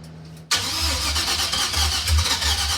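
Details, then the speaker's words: 1940s International milk truck LS-swapped with a stock-cam 5.3 V8 and new computer, in park, fuel pump primed: brief quiet, then it catches first try into a smooth, even, throbbing idle; normal start. "First try, guys. Hell yeah. God, it even sounds good. Now, it's stock cam 53, but man, dude."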